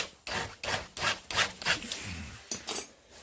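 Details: Chainsaw chain depth gauge (raker) filed using progressive depth gauge on soft setting: steady crisp rasping file strokes about three a second, even; normal raker filing.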